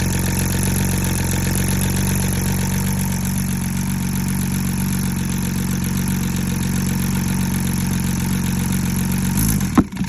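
Low idle with an uneven, lumpy beat, roughly two to three stumbles a second breaking the rhythm; a misfire at idle.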